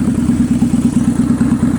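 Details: 2003 Kawasaki Vulcan 800 Classic V-twin, just started on full choke and then warm with choke in, after oil change and Seafoam in fuel: loud uneven idle with sharp pops slapping the air filter assembly and smoke from carburetor; misfire backfiring through the carburetor suspected.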